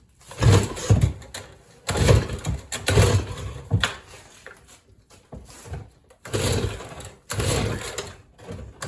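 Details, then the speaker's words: Stihl two-stroke leaf blower that wouldn't run right, first start after priming and choke: engine surges unevenly then sags and nearly dies repeatedly; runs only on choke, won't take throttle. "oh okay well we got something so I don't really have to deal with the spark plugs since it's running sort of"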